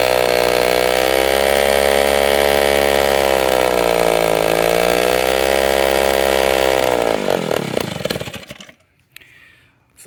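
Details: 1946 Power Machinery chainsaw built in Vancouver, BC, run after full restoration: strong steady two-stroke buzz with small rev swings, then winds down and stops; runs smooth and healthy, normal running.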